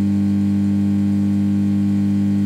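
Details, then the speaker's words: Hiwatt Hi-Gain 100 guitar amp: steady, deep beehive-like buzzing hum from the mains power transformer, saturated by a small DC voltage on the mains; cured with a DC blocker. "this hum is being caused by a small amount of DC voltage in the mains which eats its way way through to the Main's Transformer given time this normally fairly sizable tral Transformer will become saturated and start to hum like a beehive bit like this"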